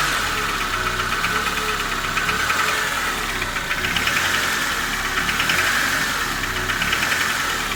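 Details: Honda K20A engine running with a faint irregular light knock, under once a second, over the idle; source unclear, suspected piston or hydraulic lifter.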